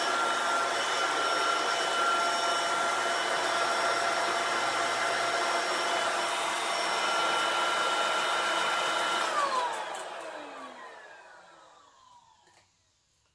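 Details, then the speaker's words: Shark vacuum cleaner with a new or refurbished replacement motor assembly, first power-on: even high whirring hum at steady pitch, very quiet, then smooth spin-down after switch-off; running normally. "that works freaky works really good really really good which I would hope so if it's a brand new motor or a refurbished motor wire it's really quiet I like how quiet that is"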